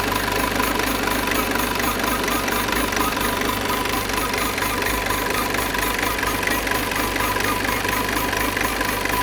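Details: Peugeot 508 2.0 BlueHDi 180 hp diesel at idle. A steady drone has a faint, regular ticking layered over it, about two per second: an odd idle noise of unclear cause.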